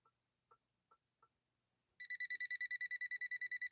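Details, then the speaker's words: Imported Swedish machine run through a step-up converter, motor already ruled out via bypass: a continuity tester on the incoming power cord gives faint ticks, then pulsing high beeps about three a second. Suspected loose wire with intermittent contact. "see what i'm noticing there we could have a loose wire in there couldn't we"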